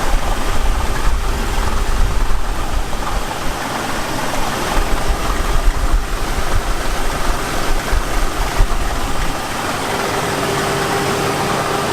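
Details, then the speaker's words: 2001 Jeep Cherokee XJ 4.0 L inline-six idling with a rough, rapid knock over the low rumble; the engine itself was fine, as the noise came from the worn bearing of the fan clutch pulley. "all right so I hope you could hear that there's nothing wrong with the motor what its gonna be it's gonna be the bearing that holds that fan the fan clutch on that fan pulley it's gonna be that bearing"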